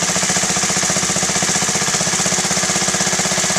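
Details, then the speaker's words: Honda Z50A Mini Trail 50 single, freshly rebuilt carb: after the pilot screw is backed to its highest-RPM point and the idle is lowered slightly, there is an even putter of about four beats a second with no stumble, so the idle is properly set. "So that's it right there. Now we're going to lower the RPM a little bit. So that's it. That's properly set up right there."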